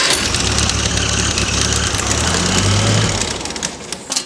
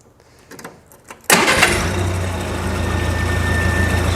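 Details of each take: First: International 184 tractor with starter solenoid bypassed by jumping its terminals: engine catches and runs rough, uneven, then fades; it wants to run, starter solenoid is faulty and needs replacing, fuel may also need attention. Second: International 184 tractor after repairs, warm after a yard test drive: starts with a barely flipped key, catching on the first turn and settling straight into a steady, even idle with no stumble; a body panel rattle is noted; healthy start.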